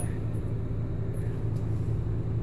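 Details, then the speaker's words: Bosch SHX6 8E05UC/13 dishwasher after the door magnet was moved: steady low hum near 100 Hz with no splashing, the pump running dry with no water in the sump; still no water after about 2 minutes of waiting. "can once again hear the uh hear the pump trying to run even though there's no water in there"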